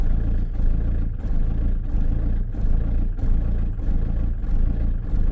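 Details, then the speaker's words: Diesel van after replacing the fuel tank lift pump (fuel solenoid) and fuel filter, just restarted; lumps and hunts unevenly, surging about every 1.5 seconds while purging air and building pressure, soon sounding healthier. "just going to let her CH for a bit cuz this is obviously the new pump so she's jugging"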